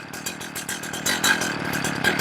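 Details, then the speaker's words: Warmed-up chainsaw that had been stalling, tach reading 2,200–2,500 rpm at idle: slow, uneven two-stroke putter with loose popping that sounds like it could die. Idle speed too low; low-speed screw to be leaned out. "All right, so on my tack, I'm going to check the lows right now. That's 2,400, 2,200, 2,500. It's too low."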